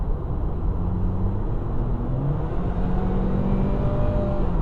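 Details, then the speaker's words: 2007 Saab 9-3 2.0T on a road test after a spark plug change; it had an ignition miss under load and one plug was found half loose. Smooth pull with a rising turbo whir and much more acceleration. Normal acceleration. "Oh yeah. Oh, that's a lot better. You even hear that turbo spinning up too. It's really, not that I did anything to turbo, but it has a lot more acceleration."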